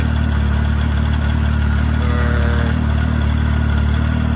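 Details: 2015 Arctic Cat 7000 Snow Pro snowmobile with Yamaha four-stroke engine, 12,053 km, warmed up to temperature: steady, even low idle with a constant deep note and no knocks or misses; normal healthy warm idle.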